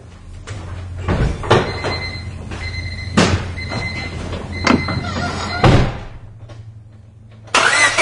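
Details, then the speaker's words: 1999 Honda Civic with a no-start, cranking with the microphone removed: uneven cranking beat with one cylinder dipping, lighter and quicker each cycle; one cylinder has low compression, though that is judged not the cause of the no-start. "All right, I am sure you guys will agree with me that this car has a compression problem, but it is not the cause for the no start, for sure. But again, listening to that dip in one of the cylinders, and you can hear that there's not that steady even beat with the cylinders."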